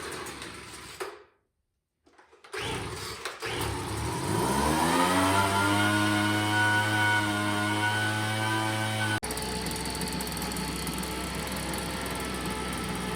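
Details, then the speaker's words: Craftsman two-stroke leaf blower, left sitting, on pre-mixed fuel after priming: pull-start, then the engine climbs to a steady buzzing drone and cuts off abruptly; runs poorly, carburetor low end needs adjusting. "that the carburetor needs an adjustment. And right up in here, there is a low and a high."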